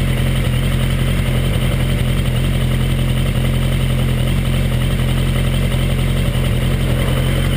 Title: Léger bruit moteur au démarrage Suzuki 1200 Bandit